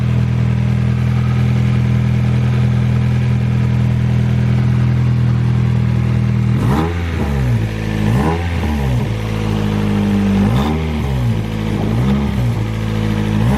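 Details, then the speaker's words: Nissan 240SX S13 SR20DET drift car, new 3-inch eBay EMUSA catback not fully tightened: low idle then sharp blips with loud raspy puffing note; exhaust leak suspected, maybe muffler, later traced to loose bolts. "all right well definitely an exhaust leak or maybe the fart can"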